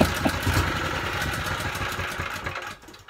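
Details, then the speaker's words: Honda GX160 generator engine, 5.5 kW, on fuel with a little choke: small single-cylinder hunts and stumbles unevenly then dies away, too ropey to power a drill; rough running. "not promising that doesn't sound good that is not good there's no way that's going to run that drill on the site is it my god that sounds ropey"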